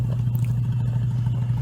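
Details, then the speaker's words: Small 4x4 Suzuki Sidekick/Geo Tracker engine running with loud, rapid low-pitched raspy puttering from an exhaust leak that developed along the way. "Now this one right here, as you can hear the sound. This one developed an exhaust leak along the way."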